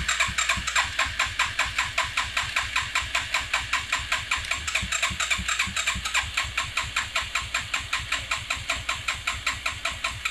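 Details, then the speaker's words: Suzuki Quadrunner LT 4WD after carb work, full choke, vacuum-actuated mechanical fuel pump not primed, vacuum line later found disconnected: steady starter churn about 2.5 compression beats per second for ten seconds, never catching; long crank, no start. "So, this might take a minute to get it to turn over."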